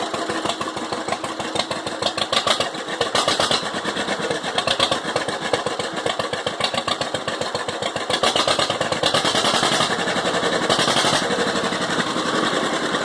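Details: 1945 John Deere H two-cylinder tractor, not started in 20+ years, carburetor and magneto cleaned, started despite bad starter: uneven pop-pop chug about four a second, picking up steadily; running fine.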